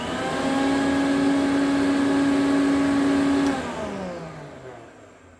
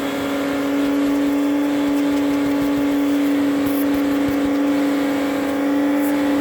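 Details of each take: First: 1972 Electrolux Z500 vacuum cleaner, 425 W motor after clean-up: steady, even motor tone, then a smooth pitch glide down to silence after switch-off with no growl; the earlier growl was thought to come from a tight armature and spindle. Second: 1972 Electrolux Z500 vacuum, 425 W motor cleaned up, running with an old-style hose: steady loud motor drone with constant mid-pitched hum, winding down at switch-off; the leaky hose changes the suction note.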